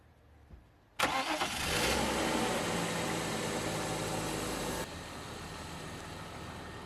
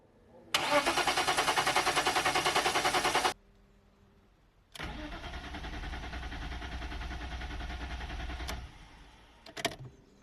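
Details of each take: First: 1998 BMW E39 520i single VANOS after fixing its crank-no-start: a quick start with a brief rev flare, then a steady, even idle without ticking or stumbling. No misfires or overheating, and the lifter tick is gone. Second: 1998 BMW E39 520i single-VANOS that previously ran very rough: steady, even cranking at about eleven beats a second for three seconds with no catch, then a second long crank, still not firing (54 psi measured after). Crank, no start.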